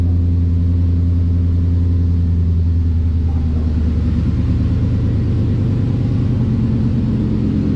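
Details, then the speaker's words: 2012 Ford Mustang Boss 302 V8 after long-tube header install, with new intake and tune: loud raw idle rumble with a rough, blatty note from a huge exhaust leak where the X-pipe doesn't match up; replacement X-pipe ordered. "due to the X pipe not matching up, but I just ordered another one, so we'll have that fixed up. Yeah, huge exhaust leak, but I'll get that fixed."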